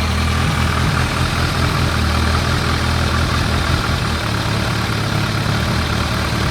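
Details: Warmed-up 2001 ZRX1200R four-cylinder, CVK carbs, pilot screws at 2 5/8 turns (factory 2 1/4, jetted lean), idle turned down slightly, recorded on phone: steady, even, smooth low beat without stumble or hunting. Normal idle.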